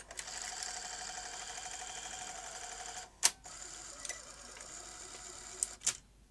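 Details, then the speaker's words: Sony Betamax SL-T30ME, roughly 40 years old, after repair of a spindle gear: quiet motor whir with a couple of sharp clicks a few seconds apart; normal clicking of the mechanism during play and eject. "so that's a clicking noise you hear on these machines"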